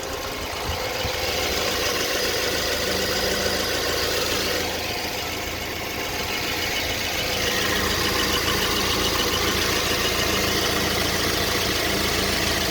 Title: BMW E90 2011 LCI 318i N43 intermittent engine knock pt 3